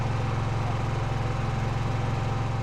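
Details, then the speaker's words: Brand-new Harbor Freight Predator 9500 W inverter generator, first run on non-ethanol gasoline, ESC (economy mode) switched on: smooth, even low thrum with steady pulsing and no knocks; noise and rpm drop to a quiet idle. "So I went ahead and turned on the ESC here, and we can hear how the noise level actually went down. The RPMs came down quite a bit."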